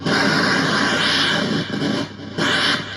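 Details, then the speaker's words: 1970s Maplin/ETI 4600 synth restoration, keyboard PCB: loud hissing, crackling noise with irregular clock-like pulse; fault in the NOR gate chip, bypassing with a finger changes it. "but something's wrong with the Norgate new chip in there and we have noise"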